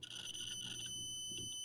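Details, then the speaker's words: Adafruit Feather M0 Bluefruit with soldered header pins in a breadboard, continuity test: steady high beep, clean and unbroken then fainter; pins seat deep enough in breadboard for good contact. "works okay there this means that all of these pins on the board are going deep enough to be able to work with them through the breadboard which is good"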